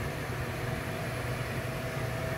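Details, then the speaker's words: Air conditioner whose line was iced up and that gave no cooling, after the cable was plugged back in and the unit switched on: the condenser fan runs with a steady, even whir and low hum, no knocks; normal fan running. "see now there we go I hear the fan now problem solved problem solved all right I can hear the fan"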